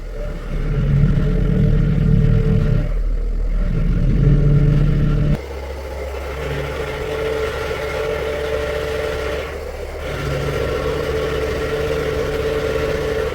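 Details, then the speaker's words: 2007 Mercedes-Benz ML320 (W164) at idle: steady mid-pitched whine swelling as the wheel turns; failing power steering pump rather than steering rack, replaced and bled with Pentosin CHF 11S. "Is it the steering pump or the steering rack that is making this noise? Let's listen to this."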